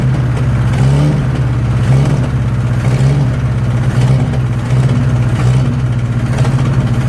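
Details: 1963 Nissan Junior ute sat 15 years, carburetor leaking; rough uneven low idle that hunts and stumbles as if starving, runs better on choke, owner thinks it's running out of fuel at idle.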